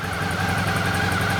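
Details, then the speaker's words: 2012 Suzuki DL650A twin, just revived after an ignition problem: even low thumping idle, steady beat, no misses, ticks or knocks; normal idle. "but that's it everything's up and running unbelievable"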